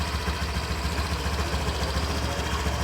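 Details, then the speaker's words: 2019 Honda Vario 125 scooter: a low, pulsing, rough growl at idle, about three to four throbs a second. Shimming the radiator cover did not remove it, and the radiator fan is suspected next; cause not confirmed. "Jadi meskipun saya tambahkan pengganjal, tetap saja suara ngorok itu tidak hilang."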